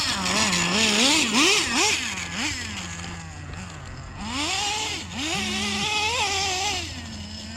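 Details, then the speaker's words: Used Traxxas Slayer nitro RC truck, cleaned and fired up for the first time in years, warmed up a little: high buzzy engine revs up and down cleanly with quick blips, pulling crisply and settling back, running pretty good. "Anyway, guys, sounds like she's at least running pretty good."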